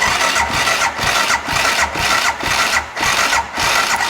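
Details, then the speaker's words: Can-Am Bombardier Rotax DS650 after previous owner's top-end rebuild, won't start: compression test cranking at wide-open throttle, slightly labored even pulses, reads 160 psi; valve clearance found well out of spec. "all right a buck 60 you can see it's kind of struggling there a little bit still so 160 lb that's pretty good"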